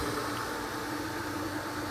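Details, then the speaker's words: Pool pump running with a steady, even motor hum and smooth water rush, no grinding or squeal, after the previously stuck impeller was freed by hand; much quieter than the loud other pump. "now that is way way way quieter than the other than life you never really realize how big of a deal that is until the high one is so loud"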